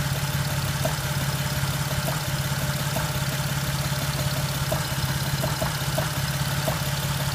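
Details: Jeep at idle, no warning lights: uneven rough idle with light ticks about three per second over the low drone; knocking noise, cause not pinned down.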